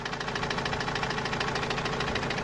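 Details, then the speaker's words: Opel Vivaro 2.5 diesel that started knocking suddenly while carrying a load, parked two to three weeks: fast, even hammer-like knock about nine per second over the idle, source unknown. "السياره من فتره طلع الصوت هذا تقريبا من حوالي اسبوعين ثلاثه، والسياره ركناها ما عاد شغلناها، وهلا رجعت. وهذا الصوت ما عم نعرف منين الصراحة، صوت مثل المطرقة يعني."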